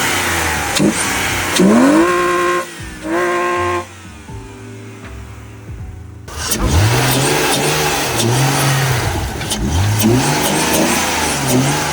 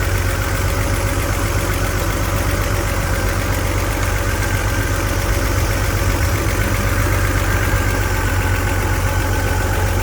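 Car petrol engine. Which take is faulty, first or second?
second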